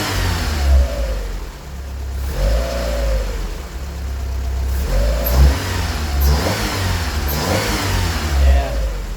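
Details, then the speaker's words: 1988 Honda Accord petrol engine, still cold, checked for suspected top-end ticking (valve lash): several clean blips, revs rising and falling with no ticking; sounds healthy, valve cover to be pulled later. "as far as the top end noise I don't really hear anything let's see if we can do it when we rev"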